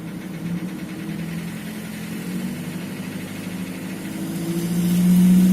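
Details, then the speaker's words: Nissan QG18DE petrol engine not yet at operating temperature: light knock at idle that quietens as revs rise to 2000 and is practically gone above 2000, with a diesel-like sound dropping from 2000 to 750; knock lessens once warm. "Сейчас двигатель до рабочей температуры еще не дошел, но могу продемонстрировать, что стук при повышении оборотов до 2000 становится тише. После 2000 его практически не слышно."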